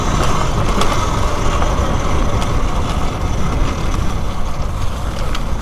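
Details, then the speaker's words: Talaria Sting R electric dirt bike ridden over rough ground, before fitting a battery shim: sharp irregular rattles and clanks over tyre and wind roar; loose battery in its bay. "ooh listen to that battery rattle that's a good reason for this video right here clanking around"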